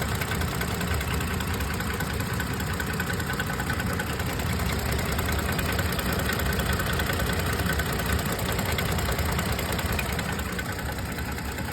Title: 2022 12k miles Tacoma engine knock/tap